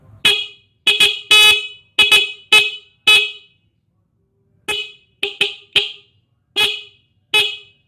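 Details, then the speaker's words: Single stock Honda New Megapro horn removed from the bike and powered by a laptop charger: short repeated blasts with a loud, sharp, steady tone and clean cutoffs; still loud and sharp, with no faulty sound. "Nah, suaranya seperti itu ya. Kencang sekali ya ini suaranya ya, walaupun kecil."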